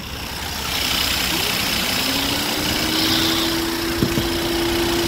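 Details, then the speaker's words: 2022 Peugeot 3008 with code P2074 idling with an uneven, wavering note and faint hiss while the fans run at high speed; a big vacuum leak from the missing oil cap causes the rough idle. "you can hear it sounds like it but yeah that's just our big old vacuum leak"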